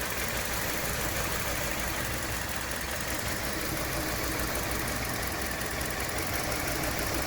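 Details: 2017 Hyundai Elantra intermittent engine misfire at idle, about three unevenly spaced pulses a second through a steady idle; ongoing, mechanics couldn't reproduce it, No. 2 coil already replaced and computer updated; cause unconfirmed.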